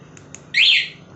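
Two faint ticks, then one sharp high electronic chirp lasting about a third of a second; the scooter alarm is arming normally.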